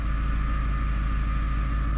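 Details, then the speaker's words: Vehicle driven over bumps after floating suspension silent blocks were lubricated with oil via syringe to cure squeaking; only low road and engine rumble, no squeaks or creaks; quiet suspension. "знаете тишина вообще все метод рабочий допустим подвеску вообще никакого скрипа нет"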